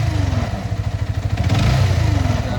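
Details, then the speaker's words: Motorcycle after a river crossing: fine at normal throttle, but under acceleration a rapid, even knocking rides on the exhaust beat and quickens with revs; cause unknown. "சத்தம் வந்து ரொம்ப disturb பண்ணுது இப்ப என்ன பண்றதுன்னு தெரியல இதோ இந்த சத்தம்தான் இதுக்கு என்ன பண்றதுன்னு தெரியலைங்க"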